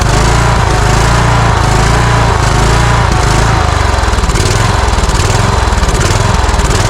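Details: Cub Cadet riding mower with a Kohler engine: speed hunts up and down instead of holding steady. It seems starved of fuel since partly closing the choke helps, fresh fuel from an external tank made no change, and the carburetor is suspected.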